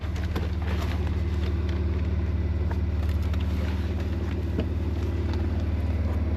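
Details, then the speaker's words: Porsche Macan just started cold, before the tea-kettle hiss appears when warm: smooth even low idle pulsing about 220 per minute, no hiss or whistle; normal cold idle. "So right at the moment, I just turned it on and it's cold. It's not really doing it. You can hardly hear it."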